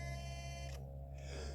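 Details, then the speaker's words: Fast, powerful front steering servo on a TRX6 RC crawler: steady high whine over a low hum whenever it is under pressure holding against load, then the whine cuts out. "you hear that Servo good Lord anytime it gets pressure put on it it makes a humming hear"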